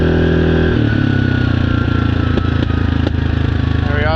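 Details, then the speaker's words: 2017 Yamaha Grizzly 700 riding after the AIS block-off: the drone falls away as the throttle closes, with a few sharp separate pops on deceleration, gentler than before but not gone. "It feels like, or sounds like, the pops are a little bit more gentle. It is much more of a pop instead of a loud crack. They haven't gone away completely,"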